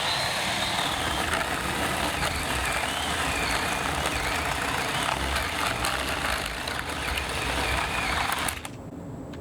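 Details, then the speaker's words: Ryobi 10-inch 18V chainsaw on a single battery, about 10 minutes of run time per charge, cutting with a lubed chain; buzzing motor sags and labours then drops away as the hot battery struggles, needing cool-down time. "everybody hear that struggling can you see that it's starting to struggle"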